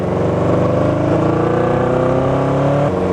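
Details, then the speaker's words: Kawasaki motorcycle with severe miss, worse when cold, and lacking power, ridden on the road under load: coughing, stuttering exhaust with irregular dropouts; one or two cylinders missing. "actually quite bad so particularly when it's loaded you can hear the thing cough and fart so let's give it a burl"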